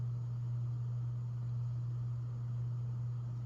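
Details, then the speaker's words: Vintage 42-inch brown/brass bottom-mount spinner ceiling fan: loud, steady low hum around 120 cycles with no knocks or rubbing; the motor hums excessively, and raising line voltage to about 120 V made little difference. "Wow, that is very hummy."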